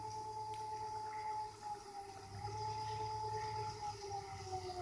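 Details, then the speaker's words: Nissan Leaf motor on a DIY three-phase inverter at 30 volts, running sensorless in drive mode three: clean, steady high electric whine whose pitch follows throttle-varied rpm, no roughness; normal running. "there it is and now it's running in full sensorless so it's gone up to drive mode three which is that third led and i can actually vary the throttle to vary the rpm"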